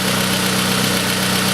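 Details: Pontiac Sunfire 2.2L idling on first start after broken timing chain replacement: steady idle with a constant low drone and hiss, no knock or rattle. Some smoke, thought to be chemicals burning off; runs cleanly.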